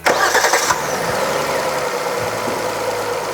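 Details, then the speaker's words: Engine at about 200,000 km, oil changed on schedule, cranks and catches, then idles with a dry, busy rattling clatter; a stethoscope locates it near the timing chain, almost certainly timing-chain noise. "소음 의 원인 은 타이밍 체인 부근인 것 같습니다 ."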